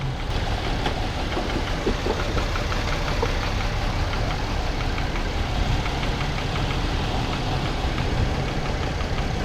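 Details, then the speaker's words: Chevy Impala (2012, possibly 2010), bought as a crank no-start and still not starting after a crankshaft sensor swap, now running with 14 volts and the engine light on: uneven, slightly shaky idle with faint irregular ticks. Disliked engine sound; misfire code stored, cause unclear. "Oh, we got 14 volts. I don't like the sound of this engine."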